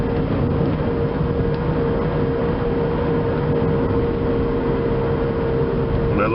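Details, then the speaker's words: 2004 Chevrolet Impala driving: steady growling hum over road noise that changes tone when steering and is more pronounced off the accelerator; worn driver-side front wheel bearing, later replaced with a new hub. "again this has a driver side wheel bearing going out let's see if you can hear it again here that girl"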